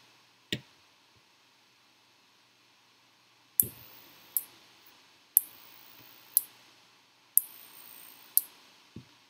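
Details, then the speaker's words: Arduino relay module switching a battery to a small DC motor: sharp relay clicks, each followed by a brief motor hum as the start-up torque makes the motor twitch. Normal relay switching. "can see it working here as it starts up the torque of the motor makes the motor twitch which you can hear it as well"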